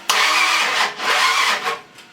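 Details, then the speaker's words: Ford 302 engine with a new cam, first start attempt after install: fast cranking catches in two short ragged bursts, then dies; won't keep running, ignition timing/plug wires off, possibly 180° out. "Fired. Mm-hmm. I have to adjust my wires."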